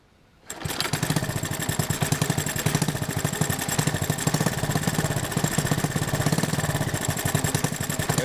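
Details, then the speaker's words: Honda 110 three-wheeler after carburetor rebuild and ignition points/timing adjustment, warming up: starts easily, quick steady single-cylinder putter, no stumbling; normal idle (earlier heavy-throttle bog and exhaust backfire, suspected spark issue). "Yeah, it started nice and easy. It's idling nice, but here you can see the points in action."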